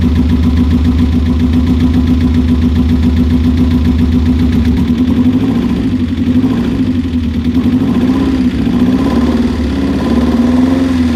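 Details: Subaru Impreza GC8 boxer petrol engine idling with an uneven, stumbling beat as a misfire breaks its rhythm; cause suspected, not confirmed.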